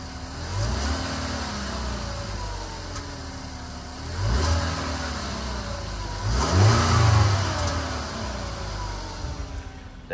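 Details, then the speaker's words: 2012 Ford Explorer 2.0L EcoBoost, 93,000 miles, cold after sitting 6–8 hours, revs blipped for deceleration; light metallic rattle over exhaust as revs fall, from the turbo wastegate; turbo being replaced. "it that's the turbo making all that noise at ninety three thousand miles not too bad yet but the customer is concerned about it so we're gonna go ahead and swap it out"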